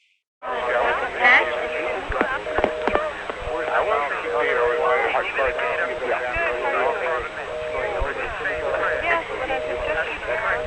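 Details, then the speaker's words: 1976-1981 analog phone line call to a busy number: faint jumbled voices, then about 17 seconds in a British double-pulse ring starts and an answer sounds as a 2400 Hz tone burst over the international circuit; natural crosstalk, cause unconfirmed. "in this next part about 17 seconds in you can hear a British ring start up plus the sound of the answer over the international circuit which is a 2400hz tone burst"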